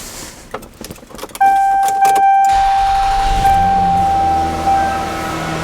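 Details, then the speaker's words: 1994 Lexus ES300 with 1MZ V6, after months of repair on a fault the dealership couldn't fix, now fixed, started a little cold: keys rattle, chime, quick crank, then smooth even slightly raised idle with a rev-up; extremely healthy normal cold start. "you notice that rev up this is the sound of an extremely healthy 1mz if runs perfectly fine don't want to rub it too much a little cold Run's pretty good"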